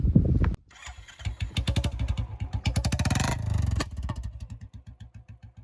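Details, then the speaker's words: Royal Enfield Classic Bullet 350 with a newly fitted aftermarket bend pipe on the same silencer: single-cylinder thump, then sharp irregular exhaust pops and crackles each time the throttle is released after a rev. "ਤੁਸੀਂ ਦੇਖ ਸਕਦੇ ਹੋ ਵੀਰੇ ਵੀ ਆਵਾਜ਼ ਬਹੁਤ ਪਿਆਰੀ ਸੀ, ਪਰ ਇਹਦਾ ਇੱਕ ਹੀ ਡਰਾਬੈਕ ਆ ਵੀ ਇਹ ਪਟਾਕੇ ਮਾਰਦਾ।"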